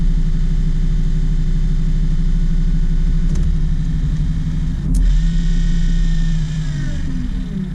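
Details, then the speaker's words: Excursion/Bison 24V 86lb-thrust trolling motor, reassembled and saltwater-sealed after brush holder replacement, run flat out: steady low hum and drone holding even, no grinding or cutting out; normal running. "All good. Flat out. Perfect."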